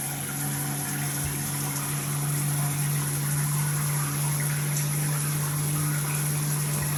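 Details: Multifunction shower system with poor overall flow: a steady low hum at one pitch over the water rush, with slight vibration felt at the shower valve when the body jet function is used; cause unknown.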